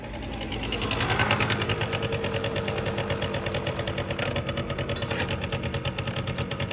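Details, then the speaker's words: 1989 Yamaha Riva Razz 50cc two-stroke scooter (SH50), off the road since 2011, after a complete tune-up, 2,500 miles, started first kick: even, steady idle putter with no knocks or misses, slight smoke from leftover oil in the line; normal idle. "Started up first kick. The lights work. 2,500 miles on it. Just putting away."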